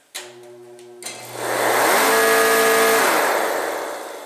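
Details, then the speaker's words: Torpedo heater combined fan and air-pump motor: it spins up to a steady, hollow, high whirring note, then winds down. It sounds wrong because it runs backwards from a dead start capacitor. "the reason that sounds so goofy is the front half of this electric motor is the fan which blows the air through the burn chamber the back half is an air pump which blows through this little tiny tube here down and around into the injector which is what atomizes the fuel as it goes through the burn chamber"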